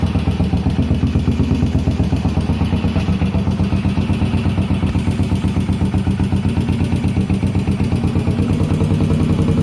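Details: 1981 Yamaha SR500 start-up after an oil and filter change, sump check ball/spring/gasket replacement and valve adjustment, still smoking, 115 psi compression: single thumping about four beats a second, uneven and lumpy; rough idle, cause unknown.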